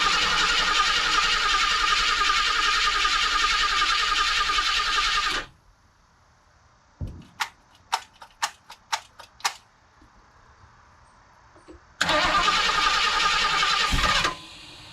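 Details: 1976 Ford Ranchero 500, 351 Modified 400 after reassembly, said to be fitted with an electric fuel pump, first start: runs strong and even, cuts off, a few clicks, then restarts cleanly and settles. Blew oil out but has oil pressure; normal running.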